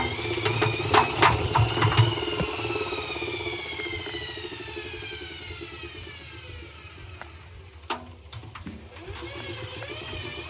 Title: Hoover dymanic next 7kg | a problem while spinning the drum. Making popping noises?